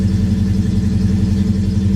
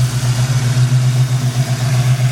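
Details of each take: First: Ford Mustang, owner believes an injector is hanging up (smokes heavily): just after start-up holds a fast, even drone with deep steady pulse; sometimes idles real high, other times runs fine. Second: Old blue Chevy V8 warmed up, steady even low rumble with no stumble or skipped beats, firing on all cylinders; squeaky alternator quit; owner suspects a faulty injector and plans to pull the upper intake.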